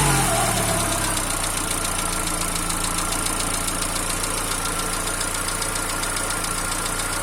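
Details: Peugeot TU5JP4 engine at cold idle: light, regular ticking knock a few per second as revs settle; appears about a minute after start and disappears once warm; cold-start knock.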